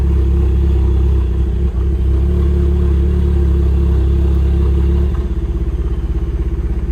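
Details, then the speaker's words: Engine won't rev cleanly and settles into an uneven, lumpy pulse as if running on two cylinders; no fault codes and no misfires recognized; owner suspects the injectors more than the spark. "there sounds like we lost a couple cylinders if you can hear that let's go in here it is not recognizing any misfires but we definitely are only running on like two cylinders"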